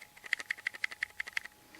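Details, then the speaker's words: Lollipop MP3 player, apparently a snap-together casing with no screws: about a dozen quick light clicks when shaken, loose parts rattling inside around the circuitry. "There's a little rattling in there, so the casing looks to me like there's no screws on it, so it looks like it's just a snap together casing, which isn't bad, you know."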